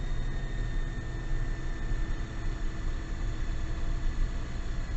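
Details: GAZ Gazon Next diesel truck under load with throttle held: diesel drone with faint steady high turbocharger whistle above it; cause not yet found, truck awaiting dealer appointment.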